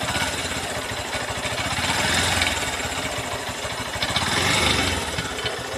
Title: Engine complaint and abnormal sound in new Honda cb200x bike